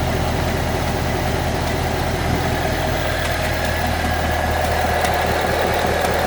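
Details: 2014 Ford Mustang 5.0L V8 at 9,500 miles, idling: light, fairly even tick about twice a second over the engine hum; dealership has not identified the cause.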